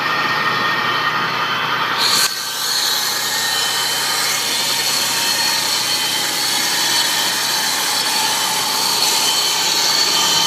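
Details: 2002 Nissan Xterra with supercharged VG33ER engine: thin, high, steady whine over the running engine with lots of hiss, heard under the hood; owner suspects the supercharger, source not pinned down.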